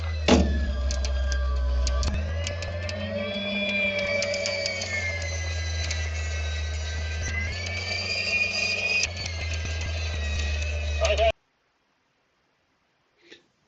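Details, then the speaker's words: Club electric paragliding and hang gliding winch at a set tension as the glider is pulled up, automatically speeding up and slowing down. Steady motor hum rising and falling smoothly with the load, then stopping. Normal tension control. "As you can hear there, yeah, it's automatically adjusting it, speeding up and slowing down."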